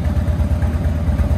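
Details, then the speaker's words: Engine that had been sitting, just restarted: deep, loping idle rumble with an even, steady beat and no knocks or rattles; normal idle. "that's crazy that's crazy it sounds good that's wow this thing's been sitting dog"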